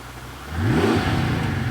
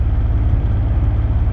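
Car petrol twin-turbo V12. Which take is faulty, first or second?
second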